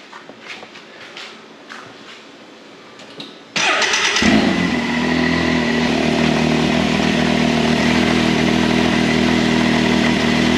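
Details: Can-Am Maverick X3 started after drive belt replacement: engine catches after brief cranking and settles into a smooth, even high idle with no knocks or belt squeal; normal running.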